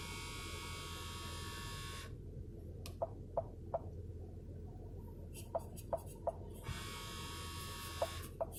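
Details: Whining buzz with quick clicks when changing temperature on a 2015 Ford Explorer Sport with dual temperature control: a failing blend/vent door actuator, and the passenger side stays cold when heat is selected.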